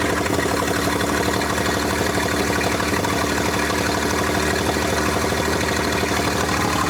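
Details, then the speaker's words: 1947 International KB3 fuel truck, old six-cylinder started after about 30 years locked up, after engine rebuild and rusted parts replaced: settles into a steady, even idle with regular firing and no knocks or misses, sounding healthy. "does it not change when you mess with the c I want to hear it a sounding pretty good yeah"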